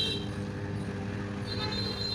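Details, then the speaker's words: Washing machine dryer spin motor turning very slowly even after capacitor replaced with new; steady low hum with faint whine that never climbs, motor won't gain speed; fault is in the motor itself. "Motor रफ्तार नहीं पकड़ रही है। दोस्तों, motor नहीं घूम रही है। समस्या अभी भी वही है।"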